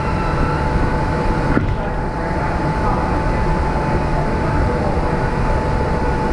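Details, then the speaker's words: Ferrari 360 Challenge Stradale Spider V8, first fire-up after plenum chamber refitted with new gaskets and coolant leaks fixed: loud, steady, even run with a faint constant whine on top, no misfire; normal running. "it's running and it sounded absolutely epic"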